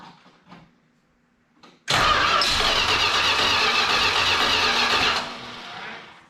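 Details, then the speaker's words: 1968 Chrysler Newport 383 big block, newly swapped to an Edelbrock 750 four-barrel carb on a Weiand 7501 intake, electric choke not hooked up, very cold weather. It cranks briefly, catches and roars at high revs on held throttle, then drops and stumbles. Cold start without choke. "boy want some choke I don't have that electric Coke hooked up let warm up"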